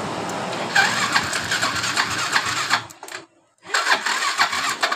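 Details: Yamaha Mio (mio im3) that sometimes dies while riding, fuel pressure normal at idle: engine runs raggedly, cuts out for about half a second, then catches again; fuel pump filter to be checked, cause unconfirmed.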